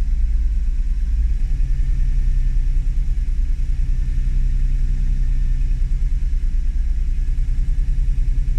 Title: NSX idle issue fault finding(4)